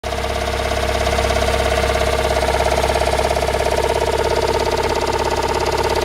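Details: Toyota Raum 5E-FE petrol engine after rebuild, idling: a regular knock around 100 per minute rides over the hum; cause not pinned down.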